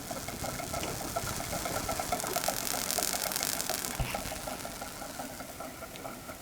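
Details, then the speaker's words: Homebuilt Wimshurst electrostatic machine with new stainless-thread brushes: even mechanical whir of turning discs with fine crackling hiss; building charge normally. "So we're making a charge. Cool."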